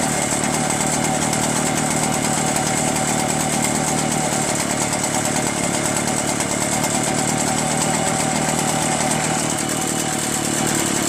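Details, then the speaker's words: Echo PB-403T two-stroke backpack leaf blower after carburetor cleaning and magneto reinstall; it wouldn't start with the kill wire connected (owner suspects the switch), so the kill wire was removed: steady even high-speed buzz, no misses or surging; normal running. "How about that, huh? This thing works great now."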